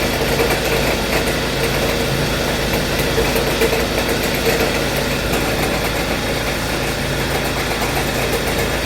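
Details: 2014 Hyundai Sonata GLS 2.4 L at idle: steady whirr and light chatter from the front belt drive; cause found to be failed alternator and belt tensioner pulley, fixed by replacing both plus drive belt.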